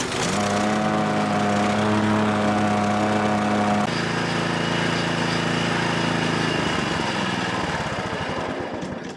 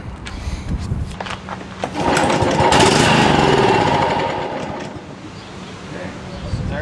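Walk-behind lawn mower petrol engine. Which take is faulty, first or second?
second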